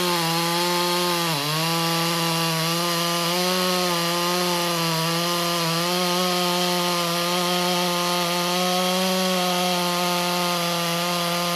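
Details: Stihl MS201TC-M (M-Tronic climbing saw), relatively low hours, first start on reassembly after a no-start diagnosis: the two-stroke holds a steady, even buzzing idle with one brief dip, then settles smoothly, smoking a little with a greasy cylinder, and runs healthy.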